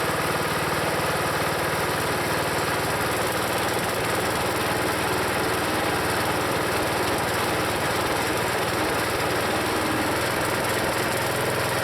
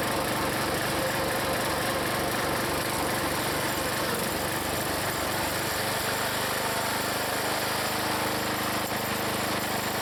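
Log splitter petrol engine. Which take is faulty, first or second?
first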